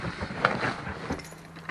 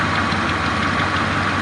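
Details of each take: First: 1977 Chrysler Town & Country station wagon with thermoquad carburetor, not yet run that day: brief cranking, catches within a few seconds and settles into a steady, even cold idle; a healthy cold start, slight exhaust leak audible. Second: 1977 Chrysler Town & Country station wagon V8 idling cold just after starting, steady idle with a faint quick ticking from a small exhaust leak; owner notes it may also need a timing chain.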